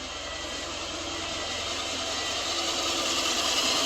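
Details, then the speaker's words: 2006/2007 Subaru Impreza 2.5i with a lopey warm idle, during diagnosis with a vacuum hose capped off: even, steady idle with a smooth hiss and no stumble, miss or hunting; normal idle. "Actually running like a normal Subaru."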